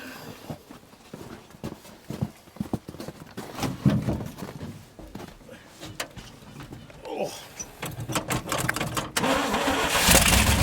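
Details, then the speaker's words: 1971 International 1890 plow truck, sat since 2001, carb rebuilt and fuel line replaced, float bowls filled: uneven cranking at about three turns a second with sputters but no catch; no fuel yet seen at the filter, possibly flooded. "it hasn't started pulling fuel yet though I was hoping it would by now it'll tell right at that filter if it's pulling fuel"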